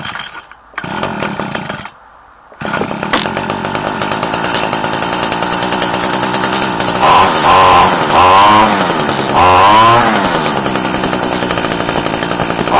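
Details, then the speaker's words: Echo SRM-2015 two-stroke trimmer just cold-started after four months idle on old fuel, choke off: sharp raspy buzz revving up and down cleanly, meaner note than a Mitsubishi, head not yet sorted; runs all right, normal running. "um it's got a meaner note than the mitsubishi as you can hear still haven't sorted the head out on it yet but yeah runs all right see you next time"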